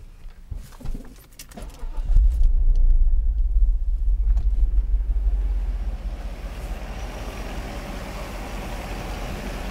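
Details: Mercedes 500SL during a throttle actuator test, started after checking the throttle returns to idle without limp mode: after some handling noise it catches and settles into a steady, even low idle with no misses or knocks; sounds healthy.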